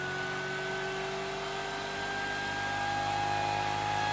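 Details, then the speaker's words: Rebuilt pulse motor, first run with half its drive coils wired (other four unconnected, trigger wires alligator-clamped), near 5000 rpm, faster than before it blew up: smooth, even high-speed whir rising slightly in pitch, no knocks or scraping; running healthy. "As it is already, it's already going faster than it was before it blew up."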